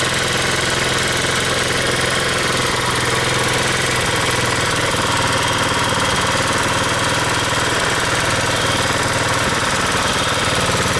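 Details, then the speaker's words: 150cc scooter with idle screw turned way up to stop stalling: erratic idle that suddenly races high with no throttle and uneven pitch, symptoms of an intake vacuum leak not yet found. "every time I just the idle all of a sudden it goes up like crazy so it has the symptoms of a vacuum leak but so far I haven't been able to find the vacuum leak"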